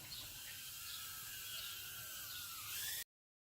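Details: Mobula7 tiny-whoop quad, props spinning at slight throttle after Betaflight setup: thin, high whir from the small motors, pitch creeping up near the end, smooth and even; healthy motor spin-up.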